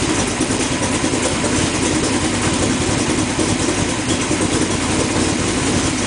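A steady, loud idle hum with a constant beat and no stumbling or misfire; the engine is running smoothly on all cylinders.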